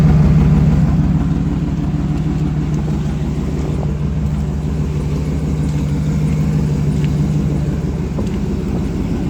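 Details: 2008 GMC Sierra 1500 Denali, L92 6.2L V8, resonator delete, cold start idle; deep even rumble with faint puffing tick about three per second from an exhaust leak just before the secondary catalytic converter: exhaust leak.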